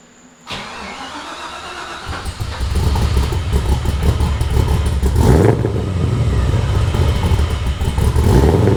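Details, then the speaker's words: LS-swapped BMW E36 started after power steering line repair and harness install, already test-driven: short crank catches cleanly, settles to steady even idle with no whine or misfire; healthy start. Some leaked fluid residue still remains. "I'm gonna just go ahead and start it up, let y'all hear it, let it idle for a little bit, and we'll call it from there."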